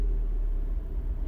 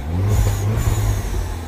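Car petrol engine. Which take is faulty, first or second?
first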